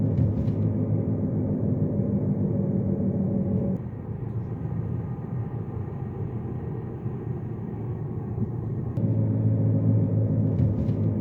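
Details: Front-wheel-drive Jeep Patriot on a test drive after rear wheel bearing replacement: a low, steady road rumble that eases and returns with speed, with no rising hum or growl; the earlier noise is gone and the rear bearing sounds healthy.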